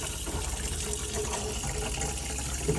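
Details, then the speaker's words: Campervan fresh-water pump kicking in when cold tap opened; water gushes over steady low pump hum, no sputter or surging; normal water pump operation. "so start on cold wait for the water pump to kick in there you go"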